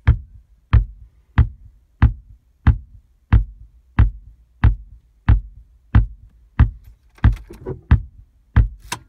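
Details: VW Tiguan RNS510 radio/nav in a boot loop with a flashing screen: deep, hollow speaker thump about every 0.65 seconds, very regular, on each restart; the fix is resoldering the PIC16 chip.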